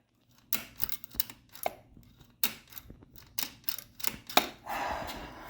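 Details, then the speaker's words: Suzuki SV motorcycle, engine off, throttle twisted by hand during front-end teardown: irregular dry crunching clicks. The throttle cable looks badly damaged, and the owner links it to the crunchy sound felt when applying throttle. Crunchy throttle cable. "I was wondering why I made this weird crunchy sound when I would apply the throttle."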